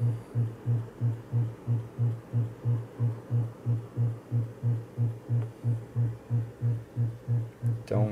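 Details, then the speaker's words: Gradiente HA-II hi-fi power amplifier driven into clipping near maximum power into test loads: a low buzzing hum pulsing about 1.5 times a second. The unregulated supply sags under load and 120 Hz ripple bleeds into the output. "vejam e o consumo do outro indicador abala a tensão da fonte né E esse Abalo limita a potência"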